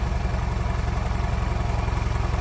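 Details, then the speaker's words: Nissan Qashqai with CVT: rough shaking idle, one cylinder (cylinder 1) dead, heavy regular low knock every turn, oil leaking on the block, possible hole in the block suspected. "щось з одним циліндром сталося дуже погане можливо що враховуючи що звук такий незвичайне щось мені здається що можливо навіть діркає в блоці"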